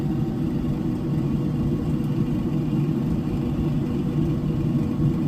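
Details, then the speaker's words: Pit Boss Lexington pellet smoker started on the smoke setting after its control panel and in-chamber temp sensor were replaced. The auger pushes pellets, it begins smoking and about to light, with a steady, smooth fan hum and no knocks or squeals: normal startup. "It's starting to smoke, which means it's about to light."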